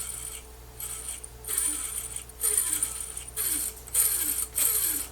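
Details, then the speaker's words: Harman Kardon hk300xm cassette deck, transport opened and brakes released by hand: short scraping chirps sliding down in pitch about once a second as the reels turn, also clicking on rewind; abnormal, possibly something dislodged. "that's not supposed to be happening here's another side well it's much slower because it's under tension wow uh yeah and when you do for example rewind do you hear this noise that's not good at all this clicking noises"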